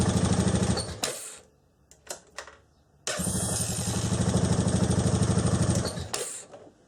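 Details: Honda TRX500FA quad bike after starter motor strip-down and brush holder replacement, fixing intermittent no-start on the button: fires on the button, settles into an even, steady idle, then shuts off; starting system healthy.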